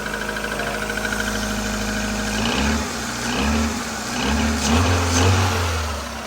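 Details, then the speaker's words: Rover Streetwise with K-Series engine, just cold-started from frozen during an Irish cold spell: steady idle, then a couple of smooth, gentle revs kept light because the engine is ice cold, with no knock or rattle; normal. "Nothing too extravagant, don't want to rev it too hard from ice cold. But yeah, she ain't never letting me down."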